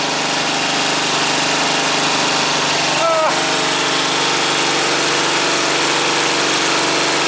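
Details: Freshly installed single-cylinder engine on a modified ride-on mower, battery just wired, throttle and choke cables not yet hooked up: steady even fast idle, brief catch mid-clip, no knocks or misses; normal start and idle.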